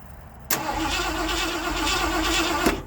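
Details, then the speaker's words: 1979 Ford F-100 that sat for years, checking spark with a tester: starter spins steadily about two seconds, never fires; no spark seen; cranks but won't start. "Let's try again. I just don't know if I can see it or not. No, no spark."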